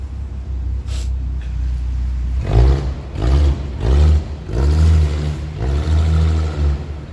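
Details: 1982 Ford Granada coupe, choke on, with two large exhaust leaks under the car: the pipe has come apart before the muffler and runs straight, the flange rotted. Loud, raw, bassy open rumble with rough uneven pulses as the engine blips.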